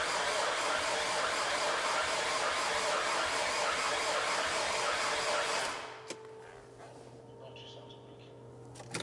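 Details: Alfa Romeo 159 Sportwagon after a top-end rebuild, first start attempt after six months: steady fast cranking about 3.5 turns per second for six seconds, then cuts out abruptly without catching; cranks, no start, cause unconfirmed.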